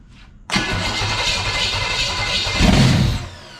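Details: 1970 Chevelle SS big-block V8 after swapping the distributor for an HEI unit, run briefly with no exhaust: a brief crank, then it catches at once into a loud, open, lumpy rumble; it starts fine and nothing is broken.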